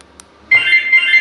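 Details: Positron car alarm with a newly coded Positron flip-key remote: after a quiet start, a bright steady high chirp rings for almost a second as the alarm confirms the lock command; normal.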